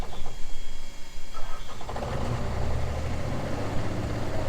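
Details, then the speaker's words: Old dump truck being pushed out of mud: uneven, lumpy bursts for two seconds then rough steady run; stumbling, near stalling, owner suspects not warmed up enough, unconfirmed. "Or did you just not let it warm up enough? Probably didn't let it warm up enough."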